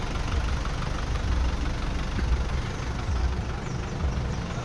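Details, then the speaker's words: Isuzu Trooper 4JX1 diesel idling after injector calibration and new injector O-rings and washers (formerly misfiring, low power, white smoke): low, steady, soft even beat with no stumble or hunting; repaired, healthy idle. "Ayan, so kita naman natin ngayon at feel naman natin ngayon na wala nang nagtuya-tuya. Hindi katulad ng dati na sumayaw-sayaw yung makina."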